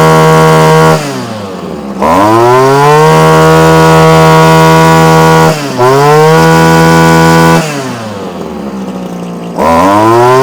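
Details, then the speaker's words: Komatsu Zenoah Straight Shaft Pro 26 two-stroke strimmer, probably early-1980s, warming up after choke off; high buzz snapping cleanly to full revs and back, slightly boggy but normal running. "I'm happy now that may still sound a bit boggy to you okay and and it is a little bit but I had the same problem with my old one"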